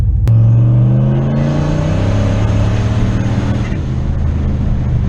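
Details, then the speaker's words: Turbocharged engine with eBay dual-stage electronic boost controller, warmed up, high setting turned out 2 more clicks: deep roar climbing smoothly under load, no misses; 7 psi reached, about 1 psi per 2 clicks. "That was 7 psi. So what I'm seeing is every 2 clicks on that boost controller is worth about 1 psi of boost."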